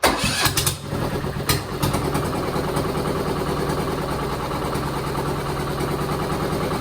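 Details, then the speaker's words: 1968 Bolens Husky 775 lawn tractor swapped to a Hatz 1B30 V single-cylinder diesel, after failed flywheel bolts were replaced with 12.9 bolts torqued correctly: a few rough bangs at start-up, then steady even chug; engine runs fine. "replacing them with 12.9 strength bolts and tightening them with the correct torque the issue was solved and the engine did run fine"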